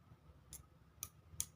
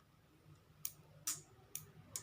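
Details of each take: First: Motorcycle turn-signal flasher relay opened, worn contact held closed by hand: sharp dry clicks about every half second, confirming the bad contact caused the no-blink fault. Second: Motorcycle turn-signal flasher relay after repair, solder added to the contact tongue: crisp sharp ticks roughly every half second in a quiet room, cycling at a normal even rate.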